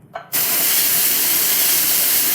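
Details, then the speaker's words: Pin-lock homebrew keg depressurized by pushing down a poppet valve on a post before working on it: sudden steady, sharp hiss of escaping gas that holds evenly; normal venting of keg pressure. "hear the keg depressurizing you should always fully depressurize a keg before you start to work on it"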